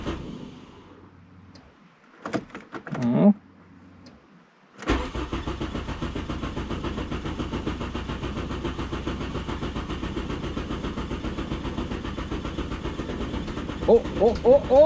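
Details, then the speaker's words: VW Golf Mk3 after fuel pump motor rebuild: quiet, then the starter catches and the engine settles into an even, steady pulsing idle; normal start and idle, though it still tends to smoke. "it's the golf is back and running still has a habit of smoking though that's not too bad"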